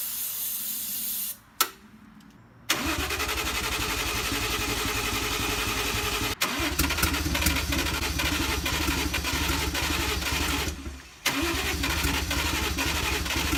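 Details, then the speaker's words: 1JZ-swapped FC RX-7 after new spark plugs, cranking with starting fluid: steady starter cranking, faint sputters, never catches; spark present but injectors not clicking, owner suspects injectors not firing. "I don't hear any clicking when I step the scope them but I'm definitely getting spark it sputters on the starting fluid and almost runs"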